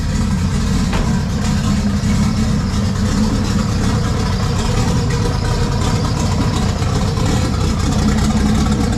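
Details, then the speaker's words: BMW E46 M3 with swapped junkyard 2JZ non-VVTi, hand-machined build, first start on open downpipe: loud, deep exhaust drone, fires right up into a steady even idle with no misses or stumbles, no smoke; idle may need adjusting. "hell yeah probably going to have to change the idle a little bit started right"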